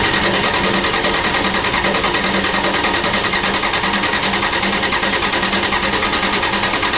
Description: She wont fire all on her own below 50F sputter a tiny bit but no fire, this was at 38F temperature Mid December 2010 cold cold cold